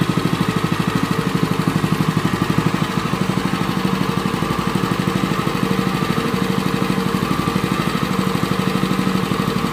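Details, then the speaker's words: Honda WL30XN 3-inch water pump engine after one year of use with its engine oil never changed: an even, steady single-cylinder putter with no knocks or rattles. It still sounds smooth and suction is still good, so normal running. "untuk ya untuk bunyinya sendiri itu masih cukup halus dan untuk sedotannya sendiri itu juga masih cukup oke ya"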